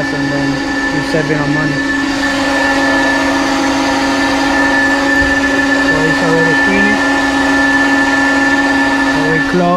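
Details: 1800whp car's electric fuel pump running during a tank-to-tank fuel transfer. A loud, steady, constant-pitch whine sounds under shop noise; the hard-mounted pump was passing vibration through the chassis into the cabin.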